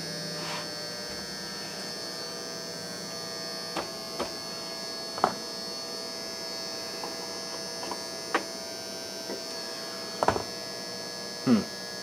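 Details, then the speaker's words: Optoma UHD60 4K DLP projector after the flaked-off color wheel index mark was re-taped, following a lamp replacement that did not fix the lamp-light flashing. It works, but a steady, high, rasping buzz with a few clicks suggests the color wheel is shot. "it's working but I think that color wheel might be shot"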